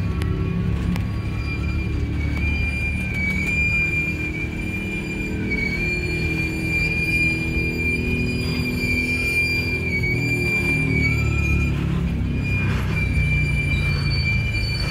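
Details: Union Pacific 6644 freight train leaving Mesa Yard: high wavering wheel squeal over low rumble of rolling cars with a few clangs; it stopped, blocked the crossing over an hour, was fixed and moved on.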